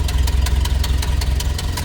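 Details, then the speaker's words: 1931 Ford Model A, 201 cu in L-head inline four, three-speed manual, idling in neutral after a choked start: crisp puffing tick about five times a second over a low, even idle; small exhaust leak, otherwise smooth runner. "Did mention a little bit of an exhaust leak, but you can hear it now. Want to make the next owner aware of that."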